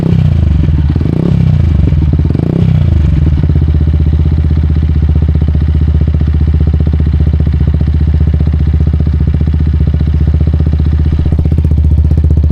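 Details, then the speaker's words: Neglected Yamaha YZF-R 125 being recommissioned: two throttle blips then steady idle with sharp chuffing puff every beat; definitely a blow from the end can, exhaust leak at the silencer. "Well, she sounds good, but definitely a blow from that end can."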